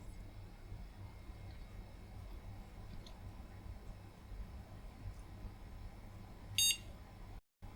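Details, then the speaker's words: A single short POST beep at power-on in a quiet room with the monitor attached, then no picture. This retro PC board from a car boot sale has an intermittent fault. "Yep, one bleep. No picture."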